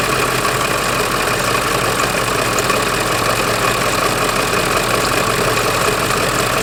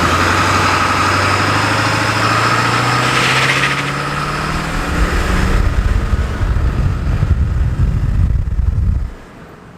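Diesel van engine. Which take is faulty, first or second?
first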